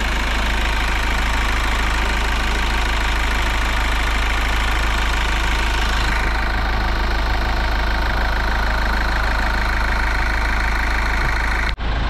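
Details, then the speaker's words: Kia Sorento diesel after new adjusters and turbo cleaning: even idle with steady smooth clatter, no sharp ticking on top; quiet and healthy. "Tahimik na siya mga bossing. Tahimik na siya."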